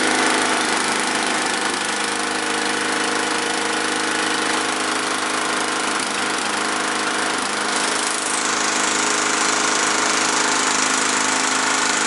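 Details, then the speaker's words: Snapper mower, small single-cylinder engine running fast with a steady buzzy beat and slight speed hunting, still surging; owners suspect the governor is out of adjustment, later found carburetor float problem. "yeah it's doing the same [ __ ] thing man I think it's actually in the governor out huh seems like it's in the governor huh maybe the governor's not adjusted right"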